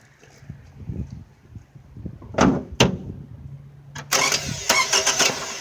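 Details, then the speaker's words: 2009 Toyota Camry no-start: 12 V at battery but about 3 ohms of high resistance at the terminal connections. Engine, quiet at first with a couple of short clunks, now cranks, fires and rises to idle. Owner suspects a battery connection issue. "good thing is is rotating now"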